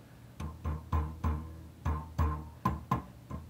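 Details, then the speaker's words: Springy, boingy ringing through the speaker at each tap, about nine taps in under four seconds, on a running amp: a microphonic power tube from the first set fitted before biasing; knocks can loosen the internal spacers inside the glass. "sounds like a rubber band or a spring or something inside that's what a microphonic power tube sounds like"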